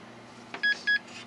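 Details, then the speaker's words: Dell Dimension 4700 after power supply fan repair, hard drive left disconnected: two short high beeps a quarter second apart over faint fan hum; POST code for hard drive not found. "and that means that it couldn't find the hard drive because I left that disconnected because I was going to be powering it on and off"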